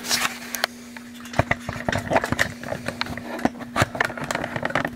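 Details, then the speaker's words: National NC-190 radio: steady low buzzing mechanical hum from the power transformer, felt in the case, partly masked by clicks and handling noise; owner had reported hum, possibly not AC hum. "what I'm hearing is transformer hum. And you can feel it in the case."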